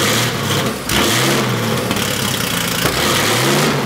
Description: Here's my Porsche 964 RSR attempting to idle. It can't because it is running too lean at idle.